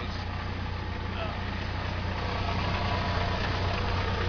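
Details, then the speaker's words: 1998 Chevy S10 2.2L pickup idling with a rough, uneven rattle coming and going, about three knocks a second, loudest near the muffler and transmission; started that morning, truck shaking, cause unknown. "I'm having this issue with the noise that I started this morning it's kinda like near the muffler and the transmission is where I'm hearing it the most it's kind of going in and out"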